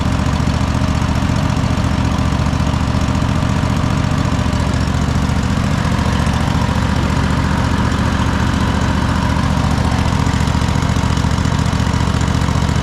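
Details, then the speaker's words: Cub Cadet GT1554 mower that sat for 10 years after being rolled over, first run after revival: steady, even low thrum with no knocks or misses, blue smoke from residual oil; normal running. "It seems to be running pretty solid, but what I would do is just let it let it run. It hasn't been ran in a while."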